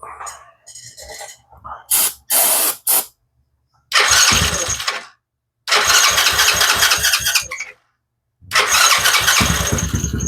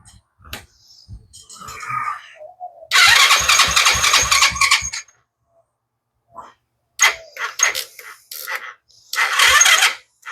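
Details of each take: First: TaoTao 125 children's ATV (once submerged in a hurricane) after replacing broken starter drive chain: short cranking bursts, then the small single catches and runs with quick steady putter; starter engaging and starting normally. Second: Children's TaoTao 125 automatic ATV that sat unused, sluggish uneven cranking in short bursts that never catches; battery too low and needs charging, trickle charger recommended.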